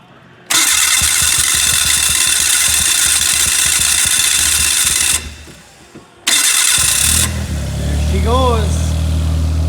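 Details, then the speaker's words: Old fuel-injected four-stroke snowmobile after 30 days underwater, water and oil drained, connections cleaned with dielectric grease: a few loud cranking bursts, then catches and settles to steady idle that climbs with throttle blips; normal start. "got her yes she's running got her all right"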